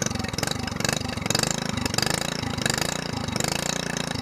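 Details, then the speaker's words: SPS longtail mud motor, single-cylinder, stored all winter and run dry, primed, first start of 2015 with choke: steady rapid putter, no misses or sputtering, slight smoke burning off; normal running after storage. "Almost sounds like a four-wheeler. He's alive! He's alive!"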